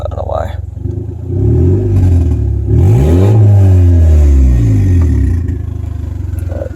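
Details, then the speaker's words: 1998 Honda Civic D16Y7 with stock internals, Y8 intake and oil pan, eBay turbo kit, warm after driving, no O2 sensors plugged in, check engine light on: idle hunts up and down; owner blames loose Y7 throttle cable, unconfirmed. "Idle's pretty good. Check engine light. I don't have any O2s plugged in, so yeah, the idle's a little bit weird right"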